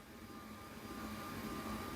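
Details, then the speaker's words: Electric height-adjustable computer desk, motor raising the desk to its maximum 118 cm: soft, steady hum with a faint whine. Normal lift motor operation. "แล้วกดลองลงลองสังเกตนะครับว่าเสียงดังมยไม่ดังเลยนะเบาๆนะครับ"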